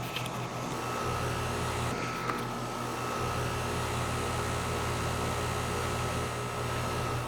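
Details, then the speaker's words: Outdoor A/C scroll compressor running in cooling before the sound blanket is installed, recorded at about 75.5 dB near the unit: an even, steady low hum with fan rush over it, no knocks or rattles; normal operation. "I can hear the hum of the compressor from here."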